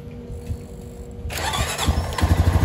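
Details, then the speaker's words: Honda 420 ATV, first start after transmission repair: brief crank, single catches at once and settles into an even, steady idle thump, much less noisy than before; centrifugal clutch not hanging, no smoke; normal start. "oh my God like it wasn't like nothing even happened it's gonna let it idle for a minute let everything gets oil pressure through US yeah it sounds perfect it's a lot less noisy than it was sounds good"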